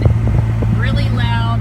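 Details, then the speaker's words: 2011 Ford F-150 with engine running, dash blower switched on then turned up to high: loud steady low drone with a fluttery edge; owner suspects debris in the blower wheel cage or failing bearings, before blower motor replacement. "go ahead and turn this on don't know if you can hear that but there it is we're going to go ahead and turn it up and as you get here that is bad"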